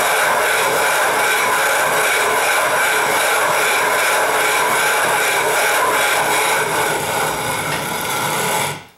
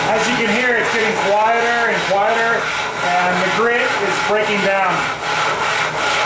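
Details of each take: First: 12.5-inch telescope mirror hogging on a spin/fixed-post machine, sub-diameter tile tool with most of the weight pressed down: loud even gritty rasp steady for nine seconds, then stops; fresh grit biting the glass normally. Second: 12.5-inch telescope mirror hogging with sub-diameter tool on spin/fixed-post machine: rasping scrape rising and falling each stroke, sounding thinner as grit breaks down; needs recharging by sprinkling more grit and probably water.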